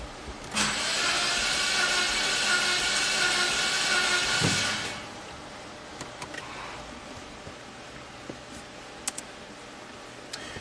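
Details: 2012 Mini Cooper S turbo, crank no-start, water in oil, near-zero compression on cylinder 2: about four seconds of even fast starter whir with no firing, then stops; cranks but never starts.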